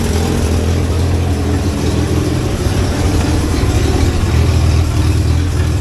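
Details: 1963 Hillman Super Minx just started after cooling system and rebuilt fuel pump installation, warming up cold without choke: steady, even low idle holding speed without hunting or stumbling; it runs cleanly.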